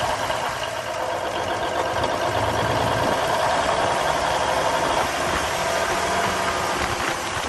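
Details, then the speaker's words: 1971 Peterbilt 352 diesel idling after water and debris were cleaned from the filter-to-injection-pump line: an uneven clatter with dropped pulses, a miss with a lazy throttle; owner suspects the injection pump. "It runs, it's got a miss. I think there's something going on with the pump. The throttle is really lazy."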